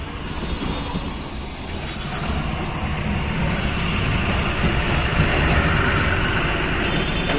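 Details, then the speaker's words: Hyundai Xcent diesel, with knocking, misfiring and white smoke on throttle release traced to the ECM, idling and revved with steady even clatter, no miss, normal rpm, no smoke; normal diesel idle. "कोई भी missing नहीं है गाड़ी के अंदर एकदम engine smooth है और आरपीएम भी बरोबर इसका रह रहा नॉर्मल इसका आरपीएम"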